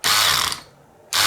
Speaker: I'm just going to grab my electric screwdriver and I'm going to pop it in there and you'll hear the screwdriver ratchet a clutch slipping can you hear that